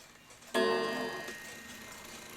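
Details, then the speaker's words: New England Calendar Clock No. 2710, dirty and not fully wound, striking the hour: a sharp strike that decays in a rattly jangle instead of ringing cleanly. The gong is out of adjustment and needs fixing. "that sounds terrible if that was the actual gong. So that's going to have to be fixed and adjusted."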